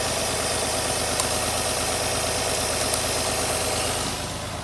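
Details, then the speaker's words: Infiniti I30 V6 idling with a lumpy, uneven miss on one cylinder. Testing showed a flat line on that cylinder, meaning a dead ignition coil; the coil pack is to be replaced. "that is a coil. That is a coil ramp. That is a dead coil."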